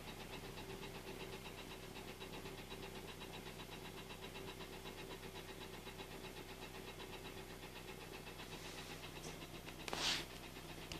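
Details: Engine with scored cylinders, heard from inside the cabin, clearer with window open: steady, fast, light knocking over a quiet idle; piston slap from cylinder scoring.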